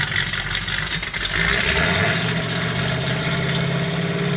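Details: Roadkill "Rotsun" race car, first start after axle and oil-leak work, oil pressure showing: engine catches and settles into a steady, even idle with a brief rev, no knocking; runs normally, though wet oil later seen coming from a pipe.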